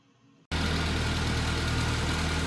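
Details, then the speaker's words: Classic Mini after new intake and exhaust manifold gasket on flattened surfaces: catches after half a second, steady even idle, no hiss or pops; carb cleaner spray found no leaks; normal idle. "it's running, and it sounds a lot better than it did before. I sprayed carb cleaner on the manifold, didn't hear any leakage, so I say this job is well done."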